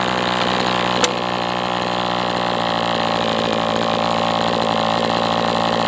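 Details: MDS 68 FS Pro engine during break-in, warmed to operating temperature, still tight with high pinch: steady even high buzz with no sag or misses; running well, better than with the idle bar plug.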